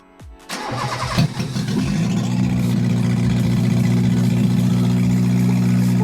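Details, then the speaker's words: VW Lupo engine, first start after years stored in a garage, spark plugs cleaned: short crank, then a loud, even idle with a steady rumble, loud because the exhaust is off; healthy start. "that's a good engine that sounds sweet [Music] obviously it sounds a bit loud because the exhaust's not on"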